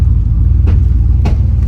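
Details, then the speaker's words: Car on fresh tires after hard driving, babied home while popping in and out of traction control, unable to reach speed: heavy road rumble with irregular sharp clunks from the rear; driver suspects a damaged differential with sheared gears, unconfirmed. "So I can't really get up to speed like I want, but it's allowing me to drive, but it's clunking crazy in the back. So I think I just really hurt the diff."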